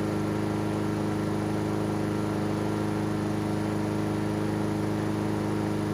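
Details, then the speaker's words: Honda GCV160 engine on Husqvarna AWD mower, air filter off to watch wax-pellet automatic choke: steady even single-cylinder beat, no misses or surging; running cleanly, automatic choke working properly. "So that automatic choke on this thing with that wax pellet is absolutely working properly."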